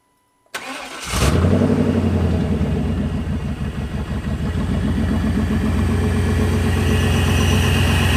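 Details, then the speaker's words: 1996 GMC Yukon V8 cold start after intake manifold replacement, new gaskets and timing corrected; cranks and catches quickly into steady, even idle, no knocks or misses; healthy, no longer overheats. "I haven't turned it on today, so I'm gonna give you a little cold start of the truck and how it sounds."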